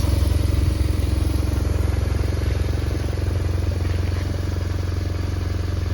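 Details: BMW R1100RT boxer twin during no-crank troubleshooting, in which the alternator brushes, starter and battery were replaced: a steady, even idle of about 220 pulses a minute with no misses or mechanical clatter; it runs cleanly.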